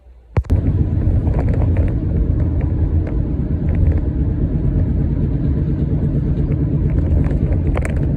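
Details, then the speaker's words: Loud, deep, steady rumbling growl inside the cabin while driving a 2013 Toyota Highlander, from a bad passenger-side front wheel bearing; the phone is heard moving during recording. "If you've been having like a loud growling sound inside your cabin, it could sound like rumbling."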